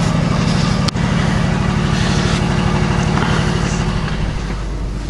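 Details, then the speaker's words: Older used Quincy QR-325 two-stage 80-gallon vertical compressor, newly installed, heard from across the shop: low steady pumping pulse with no knocks, rattles or squeals; it runs quietly and normally. "Wanted to know how quiet this was going to be over in this side of the shop, and it's quiet."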